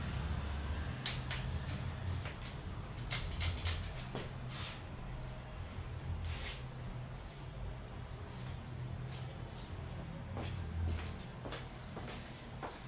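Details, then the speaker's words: Honda Pop 100 single-cylinder motorcycle after repair of an engine noise, in the workshop; low steady idle around 1000 rpm, only faint scattered ticks; runs perfectly, no noise, problem solved. "Tá em baixa rotação, tá? Tá em baixa rotação aqui. Tá em média seus 1000 rpm. Tá funcionando perfeitinha, sem barulho."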